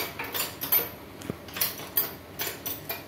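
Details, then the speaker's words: Suzuki All New Ertiga / XL7 with rough engine noise from the V-belt tensioner: removed 6203 tensioner bearing spun by hand gives uneven gritty ticks and rattles in bursts instead of smooth whirr; worn, to be replaced with new 6203. "Nah jadi seperti ini untuk bearingnya ini udah gregel Ya udah bunyi Oke ini nanti akan kita ganti baru"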